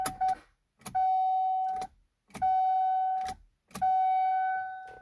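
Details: 2015 GMC Canyon All Terrain no-start: a steady chime repeats with short pauses while dash warning lights show, including service steering; the starter never tries to crank.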